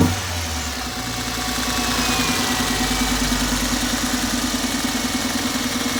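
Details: Toyota engine starts and settles into an idle with a regular stumble about three beats a second breaking the rhythm; misfire at idle.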